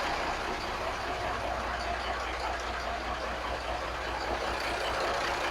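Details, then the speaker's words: 1983 Kenworth cabover, Cat A-model diesel, after setting injection timing and valve overhead, started right up, owner thinks it's low on fuel: steady even idle, low rumble, no misses or knocks; running smoothly, maybe fixed. "Well, I went to test the batteries and the thing started right up. I think it's running out of fuel right now. But it sounds like maybe I fixed it."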